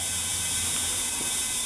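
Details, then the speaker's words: Model T buzz coil on a bench test with high tension to a test plug: only a faint, even hiss-buzz from the points, significantly quieter, no crisp snap. It makes a spark but it won't jump the test lead, so the coil is weak. "like you probably can you can hear the difference though it's significantly quieter"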